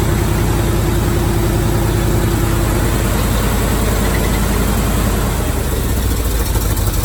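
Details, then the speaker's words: 1978 Chevy truck with an abused, half-installed mid-70s 350 V8, oil unchanged for possibly 20,000-30,000 miles and only 1.5 quarts of grease-like oil in the pan; knocking earlier. Rough rumble with sharp squeal, then engine shut off; possibly locked up. "all right so it made a bunch of screaming and then shut off yeah go ahead and crank it over maybe it did just lock up"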